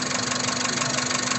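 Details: Car engine at idle, described as rough and loud: fast even ticking clatter rides over the loud idle at steady speed, a mechanical tick from the engine's top end.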